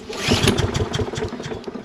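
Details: Toro Recycler mower with Kohler XT675 engine, hot, after carburetor cleaning with an imperfect replacement screw and bad gas: sputters and runs rough, hard starting; new carburetor suspected needed.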